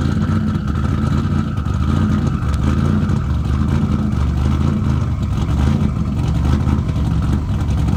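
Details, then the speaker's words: Car after installing RJC V-band exhaust gaskets to fix exhaust leaks: loud, steady engine run with deep even pulsing, no ticking or puffing at the pipes; sealed and healthy. "we like that sound see we like that sound when things are working well and fixed we we got the exhaust leaks going"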